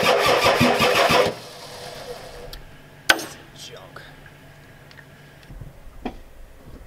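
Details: Ford F-250 XLT 7.3L IDI diesel, new injectors, all 8 glow plugs connected, tank disconnected and fuel fed by hose: about a second of cranking, never fires; owner suspects a weak injection pump not delivering fuel, shutoff solenoid untested.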